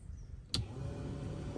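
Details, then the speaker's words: 2003 Malibu Sunsetter boat engine bay blower tested after sitting over a year; click at switch-on, then steady low even hum with no rattle or scrape; blower working normally. "blower sounds good sounds good that's a light indicates it's working"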